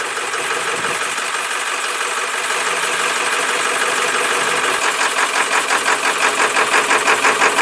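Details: 1995 Ford F250, 7.3L Powerstroke HEUI diesel, cold winter weather, after running about 5–6 minutes. Rough idle, with clatter turning into an uneven knock about three times a second.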